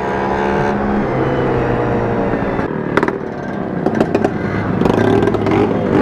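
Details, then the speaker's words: Vespa scooter with a two-stroke engine, ridden through city traffic. A harsh, blatty exhaust grows louder and crackles as the throttle opens. The exhaust is suspected loose or broken at the neck: loud exhaust. "Yoi, bener-bener nih suaranya berisik ini punya Mas Ipul ini."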